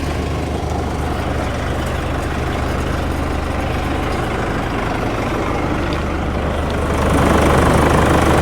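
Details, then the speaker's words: Used Nissan Navara pickup, diesel: steady, even idle with a smooth low clatter about 3.5 beats a second, no knocks or misses; a slight rattle is suspected to be a heat shield; engine sounds healthy. "Sounds quite sweet though, the engine."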